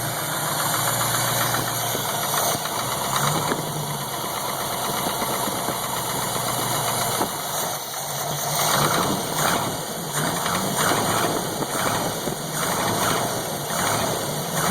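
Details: Chevy 283 V8 cold start at 40°F ambient: irregular light ticking and knocking over the idle, gone after 1–2 minutes of running; owner suspects piston slap, cause unconfirmed.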